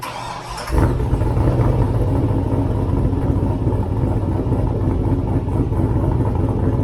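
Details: 6-liter turbo solid-axle swap truck with NV4500 manual and NP241 transfer case, listen after finishing the exhaust, mic at the tailpipe; quick catch on start-up then deep, even, steady rumble with no misses or leaks. Normal start and idle.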